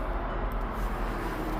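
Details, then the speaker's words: Webasto Thermo Pro 90 heater on a Demag AC220 crane, during a 20-second diagnostic component test of the combustion air fan. A steady, even whir at constant pitch with no rattle. Combustion air fan running normally. "that is on. Can hear that going. We can also see that it's working as well."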